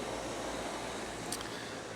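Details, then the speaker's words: Bryant/Carrier package unit after replacing the worn blower motor, motor pulley and belt, thermostat jumped to stage 2 cooling, new motor drawing 1.6 amps: smooth even rush of air, no thumping or rattle, no longer lawnmower-like; 57°F supply, 75°F return; normal blower operation. "I'm not sure how well it's picking it up on my microphone here, but the unit no longer sounds like a lawnmower, which is good."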